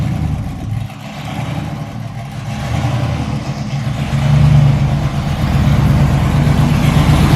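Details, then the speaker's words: LS-swapped S10 drag truck, stock 5.3 V8 with mild cam and small radiator: deep lumpy idle with choppy cam beat, revving cleanly with no knocks or misses. "sounds good for just a stock five three with the cam there we go five three little baby radiator little baby cam"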